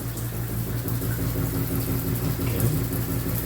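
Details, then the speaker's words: Shower mixing valve running fairly hot water: steady rush with a low pulsing thump about twice a second, which occurs only at certain temperatures and can be felt as pulsing at the valve; water hammer from a worn cartridge, resolved by fitting a new shower valve. "um yeah we've got we got this thuing sound you can actually see the see this thing moving um quite a bit I thought I was going to feel I do feel it here I was thinking maybe it was the valve and maybe it is I do feel a pulsing in there"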